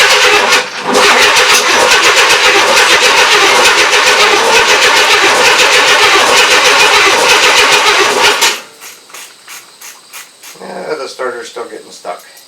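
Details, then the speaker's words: 1994 Chevrolet S10 with a 4.3L early Vortec, first crank after engine install: harsh, high-pitched whirring grind runs eight seconds then stops abruptly; starter stuck engaged, with loose starter connections found afterward. "hang on gotta get my eight millimeter socket ready just in case the starter wants to keep going again"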